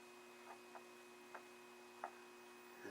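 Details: Predicta Tandem II TV during restoration, first power-up after replacing electrolytic caps and the fusible resistor, B+ reading 300 V (should be 270 when warm). Quiet steady low hum with a faint higher tone and soft ticks from the speaker; normal speaker hum at power-up.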